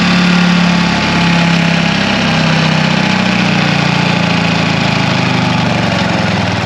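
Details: 1960 John Deere 440 backhoe's supercharged 2-53 Detroit two-stroke diesel, formerly frozen from years sitting: steady even drone with deep low rumble, no knocks or misses; good oil pressure, normal running.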